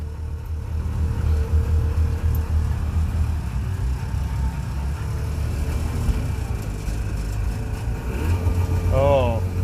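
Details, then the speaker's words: Subaru 360 van two-stroke with long-running carburetor trouble, just restarted after flooding, choke used: fast steady buzzing idle near 2,000 rpm slowly coming down; idle set too high, being backed off. "that's not okay or something stuck here should come down okay well i got to make some more adjustments you got to keep playing with it to get it 2 000 is too much there we go it's coming down now it's just taking a while"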